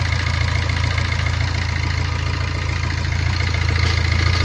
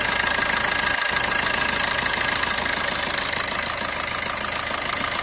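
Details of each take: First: Maruti Ertiga engine at idle just after its timing chain kit was fitted, before the water pump and tensioner were refitted: steady, even low idle with a quick regular pulse, no knocks or rattles; much quieter than the earlier noise, normal. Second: Maruti Ertiga engine at idle: fast, even metallic rattling ticks, about three a second, over the idle. Abnormal engine noise attributed to a timing chain issue.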